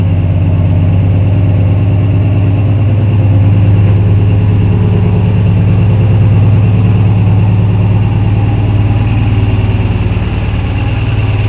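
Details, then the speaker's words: Aluminum 5.3 V8: deep, steady idle with a regular dull knock about three times a second under the rumble, seemingly getting louder. Suspected rod knock, earlier thought to be a lifter; unconfirmed. "you guys that knock that I've been trying to ignore to me it sounds louder so I hate to just ruin a good engine"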